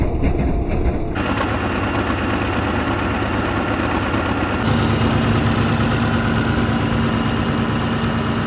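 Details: Caterpillar 3412 V12 diesel that had sat for years, coolant filled and extra wiring stripped, running to warm up: deep, steady idle with an even beat and no knocks or misses. Normal, healthy idle.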